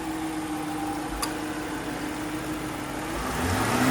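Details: 2019 Jeep Grand Cherokee Limited (WK2), 5.7L Hemi V8, Quadra-Trac II 4x4, 47k miles, freshly serviced; smooth, even idle that climbs cleanly when revved, with no knocks, ticks or rattles. Healthy engine.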